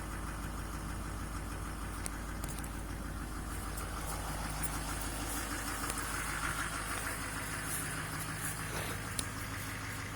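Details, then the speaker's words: Duramax LMM diesel truck, cold start in cold weather around 4°: low steady diesel clatter, even idle with no misses or surging; normally idles about 720 RPM, high-idle mode raises it to about 1,050; normal idle. "yeah normally it sits at about 720 RPM and now you can see it's up to you know about 1,50"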